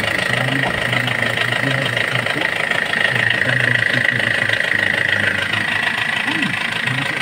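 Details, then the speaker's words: Hyundai Porter 2 diesel with low power: steady fast knocking, about four per second, hard clatter over idle; leaking, carboned injector washers and timing chain slack suspected, not confirmed. "kung may singaw yung washer may Carbon yung injector sa injector washer lang tapos Check natin yung timing chya kasi"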